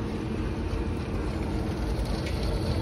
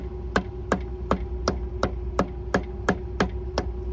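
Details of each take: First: Rooftop belt-driven restroom exhaust fan after replacing the motor (old one had bad start winding, locked up): steady, even whoosh with low hum, no knocking, rubbing or wobble; drawing about 5.3–5.7 A, under the 5.8 A rating; normal running. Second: Restroom roof exhaust fan motor, powered but not turning, meter reading 6.6 A on one leg; bad start winding diagnosed: steady ticking then a loud constant electrical buzz that never winds up; locked rotor, motor to be replaced.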